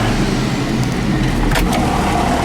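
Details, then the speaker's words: Remanufactured replacement turbocharger on a John Deere 7410 tractor (old turbo had almost 13,000 hours, tractor had lost power), warming up after fitting: loud, deep, steady diesel roar under throttle with audible turbo whistle, small puffs of black smoke, no scraping or rubbing; normal running under load. "my ears have gotten to the point where I can't hear anything anymore but oh I can hear that turbo whistling"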